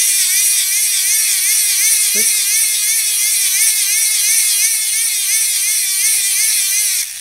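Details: Hand-crank DC generator in a solar radio, after a spacer on the motor shaft fixed gears not meshing, about 7 V unloaded: clean high whir whose pitch wavers with each crank stroke, meshing evenly without grinding or slipping; normal gear whir.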